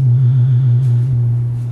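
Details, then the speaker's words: Radson MC 300 PA amplifier, made in Mexico, with its 4-ohm and 70-volt speaker disconnected: a loud, steady low hum with faint pulsing and nothing playing; owner suspects the Alarma button circuit. "you have to have this hooked up to stop this noise because when I'm playing music and when a large bass note hits this sound will get pretty loud and you could hear in the background which doesn't sound right"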